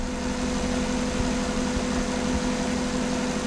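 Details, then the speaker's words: Petrol car engine, warmed up and idling steadily during a vacuum test with a low even hum and no knocks or misses. The gauge reads a steady 19 inHg, within the 17–21 spec, so this is a normal idle. "so I'm gonna start it up and I'm gonna let it idle a little bit because I've been running and I'm gonna clear it out a little bit we want the engine to get stabilized before we take a reading"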